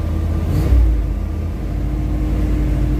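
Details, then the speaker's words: Truck with TBI and a new X-Mark fuel pump, sat for months, blipped while warming up with good oil pressure and no leaks; deep rumble picks up cleanly and settles evenly, no misses or knocks; healthy. "God, this truck sounds good. Wish it was early in the day. It's got good throttle response, almost better than before."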